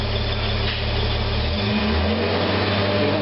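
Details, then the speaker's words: Restored 1969 Toyota Crown Super Deluxe, rebuilt clutch master and slave cylinders: smooth even running with no smoke, then a light throttle blip lifts pitch and settles cleanly, no knocks or misses. Normal running with throttle blip. "running now we can hear it running not one bit of smoke now a little bit of throttle"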